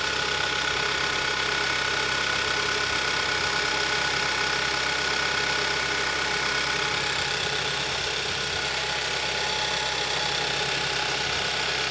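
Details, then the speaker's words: 2011-2015 Kia Optima 2.4 L GDI just after valve cover gasket replacement: fast even light tick, three or four a second, over smooth idle; ticking not heard before the job, source not confirmed. "my personal opinion is i hear a loud ticking noise and i didn't hear that before we did the valve cover"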